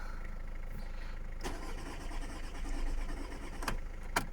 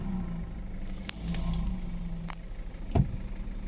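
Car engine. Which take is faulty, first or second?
first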